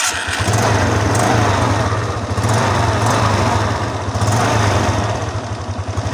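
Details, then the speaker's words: Suzuki Skydrive 125 scooter after a CVT overhaul, with a serviced used battery fitted: steady, even low beat with no rattle, judder or grinding, smoother than before with lighter acceleration; normal running. "Oke, suaranya lebih halus dari sebelumnya."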